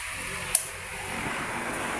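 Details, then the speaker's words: 18-inch Hanabishi stand fan with aluminium blade, after repair of a noisy fan, now at speeds two and three: low, even airy hum with no scraping or rattle, one light click early on; fan runs smoothly and quietly. "Ayan. Bumilis na po ang pag-ikot niya. Ayan. Tapos ating ilagay na po sa number three. Ayan, mabilis na ang pag-ikot niya. Ayos na ayos na po ito."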